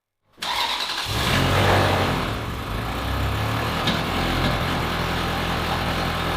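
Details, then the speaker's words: Ferrari 360 Spider V8, left idling without throttle: uneven lumpy idle with irregular knock- or backfire-like thumps and gasoline smell; owners suspect injection or a spark plug not firing, misfire cause unconfirmed. "You do hear a weird sound, right? Like it's knocking or something, a backfire, like the injection isn't working properly. Or that a spark plug isn't firing properly, you know, like it's not pumping along."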